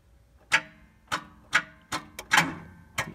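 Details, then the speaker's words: Dead battery reading 11.3 V: starter gives sharp separate clicks, about two a second, with no cranking, before trying the Autowit Supercap 2 booster. "see dang it's still showing 113 but y'all hear it clicking and it won't do nothing"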